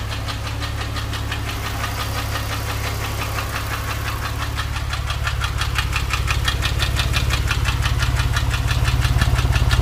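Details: Porsche 997, warm engine held near 2000 rpm: a steady, regular light tick about three times a second rides over the exhaust drone; the owner is asking for ideas, and the cause of the ticking is unclear.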